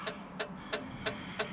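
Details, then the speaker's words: Plymouth Satellite after gauge swap and LED dash lights, headlight switch faulty: crisp steady flasher clicks about three per second nonstop, still ticking for unknown reason; owner says flasher sounds on its last leg, cause unconfirmed. "now that flasher sounds like it's on its last leg I don't know why it's still ticking"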